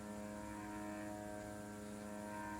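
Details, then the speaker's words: CNC Z axis probing with G38.2 Z-70 F50 (50 mm/min) toward the touch plate: steady, even stepper whine with stable pitch, no grinding or skipping, stopping on contact after 51 mm; normal feed. "está llegando a la placa, se escucha el ruido de la máquina y ahí se detiene."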